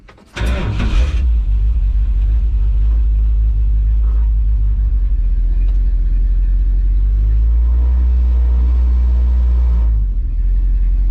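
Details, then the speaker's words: 1970 Dodge D100 driving after rear end swap with modified driveshaft; deep steady rumble over the exhaust, no whining, howling or grinding from the rear end. Normal rear axle. "And as y'all can hear, hopefully, over the exhaust, there's no whining, there's no howling, there's no grinding, nothing with this rear end."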